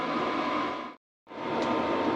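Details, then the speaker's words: Cheap Chinese diesel heater running about an hour, outlet near 90 degrees: smooth steady airflow rush, no pulsing or rattles; running normally, constant white noise. "all right everyone that's been running for about an hour now it's been going really good flawless not too noisy"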